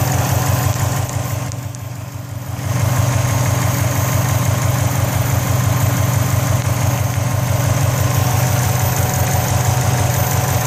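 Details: 2004 Subaru WRX idling: a low, uneven rumble with a light rattle pulsing about three times a second. The rattle and smoke both come from the turbo area; the cause is unknown.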